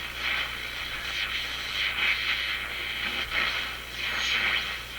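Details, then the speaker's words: RCA Victor A-23 vacuum tube radio after replacing paper and molded capacitors and cleaning controls: steady hiss, whistles and static swells as the dial sweeps the band, with no hum or crackle. Normal reception, working well on one band. "Sounds much better."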